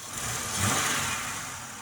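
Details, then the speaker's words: 2001 Monte Carlo after engine removal and refresh, running about 20 minutes with oil OK; short, even petrol engine note that rises briefly then settles, no knocks or odd noises; normal running. "It's running. It's been running for probably 20 minutes."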